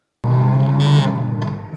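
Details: 2022 Subaru WRX cabin: low droning buzz with short crackly flutter from a loose door trim cover behind the door handle rattling.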